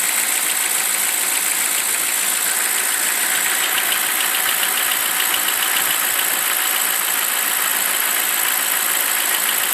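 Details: BMW 745i E65 after a cold start at 2°C outside: fast light clatter, roughly two ticks a second, over a steady idle, disappearing after 1 min 20 s; owner suspects an old chain tensioner, unconfirmed.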